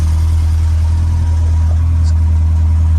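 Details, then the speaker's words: Malcolm's freshly built 1040 engine, started by connecting the coil lead because of a wiring issue: a deep, steady, even rumble with no ticks, knocks or misses. Normal, healthy idle. "Beautiful. Yeah, it sounds good, doesn't it? Does sound good, yeah."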